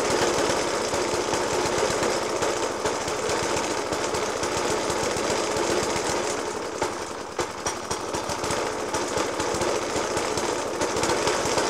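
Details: Circa-1991 Suffolk Punch 30S mower with a Dellorto FCH 20 carb, at idle after a new spark plug, decoke and carb clean: loud, irregular bangs over a harsh, hunting idle. The cause of the rough running is not yet found.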